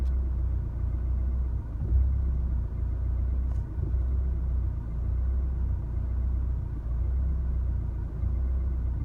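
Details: 2016 Chevrolet Colorado 2.8L diesel warm after highway drive, idling in driveway: deep rumble swelling and sagging unevenly every few seconds; shifting into park and back to drive settles idle to normal.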